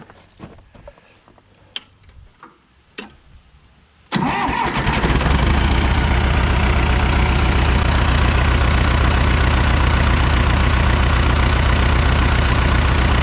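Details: 1975 John Deere 450B dozer diesel cranks, catches and settles into an idle with a steady stumble about three times a second; one cylinder missing.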